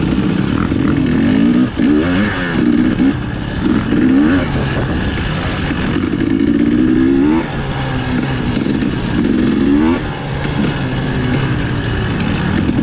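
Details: 2020 KTM 250 XCW TPI two-stroke before the fix, blipping at low throttle. Sounds gargly and uneven, stumbling between revs, sputtering below 1/4 throttle. Fixed by swapping the cylinder pressure sensor with the ambient sensor.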